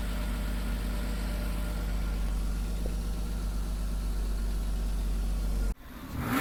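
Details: Neglected 1998 Porsche Boxster 986 just started after standing, old fuel: low uneven lumpy idle cutting out abruptly, heavy oily exhaust smoke; owner suspects worn piston rings; rough running.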